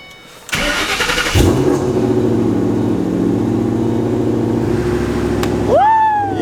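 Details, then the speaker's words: Shelby GT500 V8 after new gapped spark plugs fixed its misfire: brief crank, then catches and settles into a steady, even idle with no stumble or miss; normal start and idle. "just yeah that was it no more misfires literally the first thing that he did was check plugs right off the bat"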